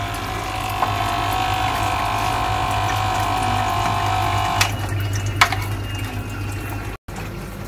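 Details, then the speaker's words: Repaired aquarium filter pump from a turtle tank, under test: steady electric hum with constant high buzz and water splashing; small pump motor spinning normally, not yet confirmed drawing water. "Nah, mesinnya terdengar ya, dia memutar, tapi kita coba dia bisa nyedot gak untuk airnya."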